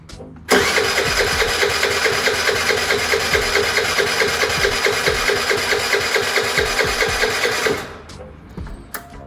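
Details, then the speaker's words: Piaggio Vespa 50 LX scooter: about seven seconds of steady, even starter churning that never fires; no fuel visible in the vacuum-fed fuel hose, fuel not reaching the engine. "Бензина не вижу я здесь в этой шлангочке. Надо будет чуть-чуть откачать."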